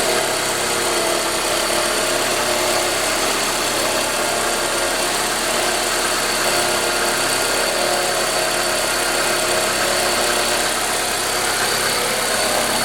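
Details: Ford Escort 2.0L at idle: steady idle with constant hissy, rattly high-pitched noise over the engine; abnormal noise, source unclear.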